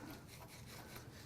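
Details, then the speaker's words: Turbo from a failed, tuned 2021 Subaru WRX FA20DIT at 95K miles, removed and spun by hand: a dry, gritty scraping rub with occasional catches. The impeller hits the housing through excessive shaft play; it may behave differently with oil in it. "no I can hear the house the impeller hitting the housing it does spin well but every now and then and it's got quite a bit of shaft play look at that I think that's why the impeller hits the housing"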